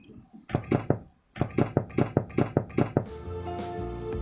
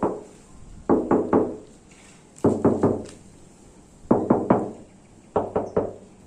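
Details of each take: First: Used-car body inspection, knuckle tapping a panel: about eight quick taps giving dull, flat thuds with no metallic ring, showing the panel was repaired with body filler. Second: Used-car body inspection, knuckle tapping a panel: crisp taps in groups of three or four that ring bright and solid, showing original bare steel with no body filler.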